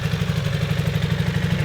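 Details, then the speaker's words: Restored barn-find Honda CB250 Super Dream after rebuild, recorded in the open near the exhaust: even, steady putter at about eleven beats a second with no misses or knocks; idling cleanly, sounds a lot better, healthy. "The exhaust. There we go. Sounds a lot better, doesn't it?"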